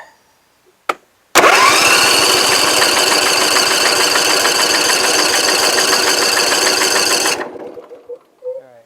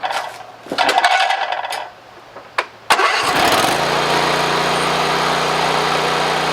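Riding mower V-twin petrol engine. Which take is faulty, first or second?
second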